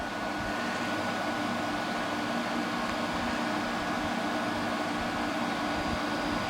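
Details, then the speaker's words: 2000 Glacier Breeze (Hampton Bay/Fedders) HBQ050 window AC after condenser replacement, first run at about 73 degrees room: steady fan rush, constant compressor hum and faint even tone, no rattles or squeals, cooling right away; normal operation. "So we're going to start it up for the first time, fully assembled, and see what it does. Oh yeah, this thing's getting colder right away."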